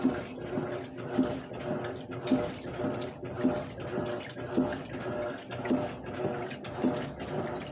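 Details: Electrolux LAC12 12 kg washing machine, newly arrived, agitating with water sloshing and a short tonal groan on each stroke about once a second; unusual noise during agitation, cause unknown.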